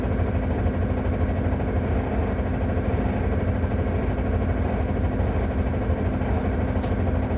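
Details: Solaris Urbino 18 bus, stationary at idle with the handbrake on: a coarse, uneven, loud constant rattle over a deep steady diesel idle; cause not yet pinned down.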